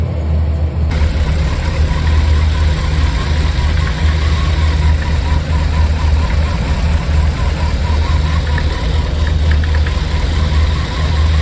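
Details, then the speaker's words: 1995 BMW 540i E34 V8 after an engine refresh with new seals, plugs, valve cover gaskets and valley pan, plus Seafoam. Smooth, steady idle but sitting fast; owner suspects swapped throttle position sensors. High idle. "okay so based on what I saw uh the engine's running really nice now it's idling really high that's the only issue"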